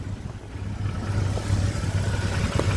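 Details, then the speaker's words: BMW N52 engine (325i/525i) at idle after intake manifold work: light, uneven ticking from the top of the engine, sounding like rod knock but from the top end; suspected hydraulic lifter tick. "It sounds like a rod knock, but it's coming from the top of the engine."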